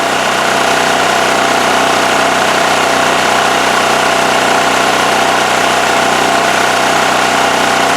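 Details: Westinghouse WH7000EC 7,000 W electric-start generator after carburetor cleaning and with the plugged spark arrestor removed: smooth, steady note with no misses. Running well.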